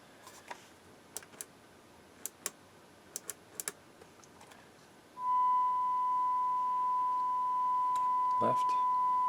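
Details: Harman Kardon 900+ multichannel receiver after capacitor and resistor restoration, earlier no left channel: a few clicks, then a clean, steady mid-pitched test tone holds level without hum or crackle; receiver output working, still needs alignment.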